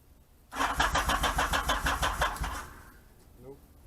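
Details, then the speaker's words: 1978 Yamaha XS750 Special on its first start attempt after a three-week revival, fuel and choke on: about two seconds of steady electric-starter cranking at roughly three turns a second that never catches; cranks but won't start. "It's promising. That's not so promising."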